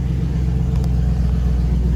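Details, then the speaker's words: 1955 Ford F100 with a carbureted 302 V8, after sitting since last fall, after electrical work on a cut-off-when-key-released fault: steady, even low rumble with no misses or knocks. Normal running. "That's what we wanted to hear. I just hope it keeps doing it."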